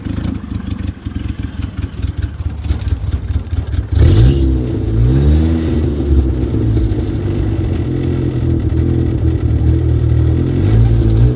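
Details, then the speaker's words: Toyota Wolverine carbureted engine, first run in a long time with new rubber fuel line to carburetor, running a little rich and carburetor needing a repair kit: catches after about four seconds of cranking, then holds a smooth but noticeably high idle. "it's running a little high high right now but it sounds pretty good I mean that's run a little high"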